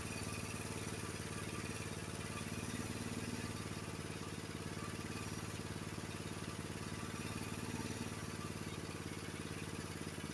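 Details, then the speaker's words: Honda HS724 snowblower engine idling after idle-speed adjustment with a small-engine tach, reading about 2130 rpm (spec about 2140); steady, even idle with no hunting or misses, normal idle. "Twenty-one 2130, that's pretty close, okay? Can you see that? That's where your idle should be on the 724."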